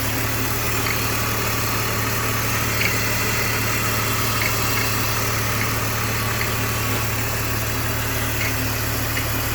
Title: BMW Engine Making Noise